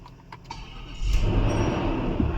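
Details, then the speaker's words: Infiniti V8 (Q45/FX45/M45/QX56 family) with a long-crank, no-start fault and code P0345, bank 2 camshaft sensor. After the loose sensor was tightened and the code cleared (starter and battery already replaced), a short crank catches within a second: clean, prompt start. "अब देखो अभी स्टार्टिंग बहुत स्मूथ हो गया अल्हम्दुलिल्लाह।"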